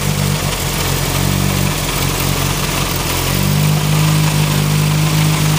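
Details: Turbo Ford Focus with a newly installed coil pack, idling: the idle hunts and stumbles with an uneven, lumpy beat of about four pulses a second, like a misfire; it also misses under boost. Owner suspects the plug wires or the cylinder 2 fuel injector.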